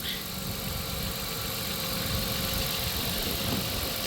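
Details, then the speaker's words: 1997 Dodge Caravan LE at 239,722 miles after melted coil packs were replaced with a used coil pack and donor wire harness: steady, even idle with no misfire, running on all six cylinders. "oh yeah we're running all six oh yeah there we go ah she sounds healthy again thank you junkier coil pack"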